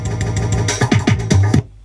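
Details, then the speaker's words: 1994 Panasonic RX-DT680 boombox CD player after cleaning: music plays in jerky fragments, cutting short and repeating before dropping out; disc skipping, owner suspects dust. "skipping quite a bit [Music] so certainly not playing the best time I've added more dust to it when I clean it out"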